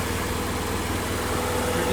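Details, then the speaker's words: Toyota MR2 (E153) engine idles steadily with a low rumble and no chirp; the clutch chirp from the transmission was cured by lithium-greasing the clutch fork pivot points. "all right so i'm here now as you can see the sound is gone one more sound pretty exciting stuff sound is completely gone"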